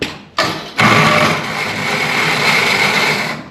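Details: 1970s International 574 tractor; harsh metallic grinding with scraping ring for about three seconds on cranking, starter pinion and ring gear teeth worn and burred; starter gear grinding.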